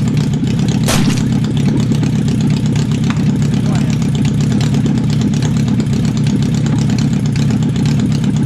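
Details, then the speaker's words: Renault 4L with FZR motorcycle engine on an open exhaust, fuel pump running, small leak; very loud, raw, unmuffled roar with unsteady idle beat. Engine still not running well; owner suspects it needs time and some carb adjustment. "Ça tourne encore pas très bien. Mais bon, il faut le temps que ça se remette en route. Et peut-être quelques petits réglages de carbu aussi."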